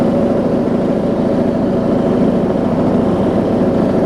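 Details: Rebuilt warm John Deere D110 mower V-twin throttled down after test driving: a low, steady, even idle putter with a slight rumble and no misses or knocks, so it is idling normally.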